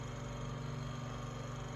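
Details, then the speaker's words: Room Essentials Velocity F-0411 one-speed desk fan (March 2011), after running a while: low steady hum with faint rhythmic scraping; owner says not a dry bearing, suspects rotor rubbing stator or a loose blade, unconfirmed. "it doesn't really sound like a bearing noise it doesn't sound like a dry bearing noise it sounds like i don't know if that's the rotor rubbing on the stator"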